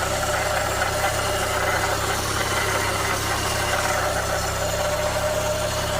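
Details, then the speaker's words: 1988 VW Cabriolet with mechanical fuel injection, run after sitting about two years: steady idle with faint rough undertone; owner suspects oil burning off exhaust, wobbling crank pulley or timing belt rubbing cover; abnormal idle noise. "Yeah, there's got to be some oil there on the exhaust that's burning off. That's probably that noise I'm hearing. That crank."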